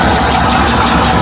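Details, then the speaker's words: 4th-gen Firebird/Camaro LT1 V8 just restarted after a fuel pressure regulator fix, no leaks: a loud, smooth, even engine note holding steady with no misses, ticks or stumbles; a normal idle. "Okay, so we've got it back in. We started up."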